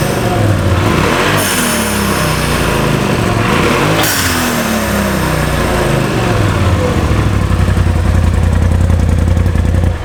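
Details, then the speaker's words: 2021 Polaris RZR turbo with newly installed Turbosmart TS-0203-1069 dual-port blow-off valve recirculating to intake: revs rise and fall with a sharp airy whoosh after each throttle lift; valve venting normally. "That sounds awesome. I think it works."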